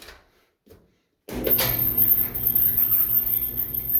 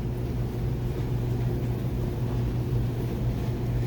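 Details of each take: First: Clothes dryer running a full load after idler pulley area cleaned, no oil applied; steady drum rumble with a thin, shrill squeal, noise back and possibly worse; idler pulley replaced mid-2023, belt later found frayed. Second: Dryer that had a high-pitched continuous squeal, run on a new belt after the old frayed belt was replaced and the idler pulley oiled: even low drum rumble and steady motor hum with no squeal or chirp. Normal running.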